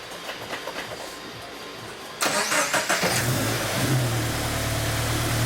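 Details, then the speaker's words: Toyota FRS/GT86 with new turbo setup and new headers, after oil line fix: short crank, catches near three seconds, settles into steady even idle, no rattles; normal start and idle, then held near 3,000 rpm. "I think we have a winner. I think so. Hold it at like 3,000."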